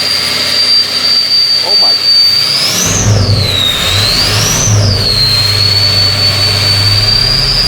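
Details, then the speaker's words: 6.0L Powerstroke diesel after a cleaner treatment, earlier loping, missing and white smoke: turbo whistle swoops with two sharp throttle blips over a steady rumble; now revs cleanly with no misfire, white smoke being unburnt fuel. "Godly you guys can hear right there it sounds good now a lot better"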